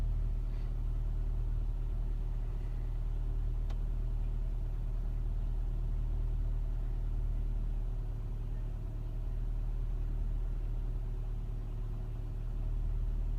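Cold engine idling low and steady with a slightly uneven, lumpy beat; rough cold-start idle, cause not yet pinned down.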